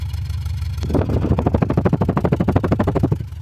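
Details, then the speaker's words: 2005 Chevy Impala while driving, transmission not shifting out of first: revving brings uneven lumpy pulses about three per second that stumble; engine definitely misfiring and shaking, owner unsure if a computer fault causes both. "Yeah, this feels really awful. Well, yeah. Let's Oh my goodness. That's crazy. Let me get this parked. It's definitely misfiring."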